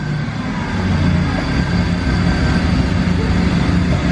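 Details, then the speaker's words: Mazda RX7 Series 1, 12a rotary, first start after 10 years sitting, plugs just cleaned: loud, rough, blubbery rev with a deep uneven burble and fuel coming out, running rich after long storage. "It's fuely. That's insane. That's amazing. That's pretty nuts. The fact that it literally just runs."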